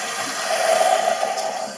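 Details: Toilet cistern: steady hiss of water with a faint whistle that never shuts off; the leaking fill valve diaphragm seal keeps it filling, and water pressure lifts the flush valve slightly so it drains continuously instead of overflowing.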